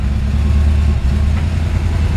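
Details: 1954 Ford F-100 V8, cold, good oil pressure: smooth even low rumble with steady beat and no knocks or misses; healthy idle.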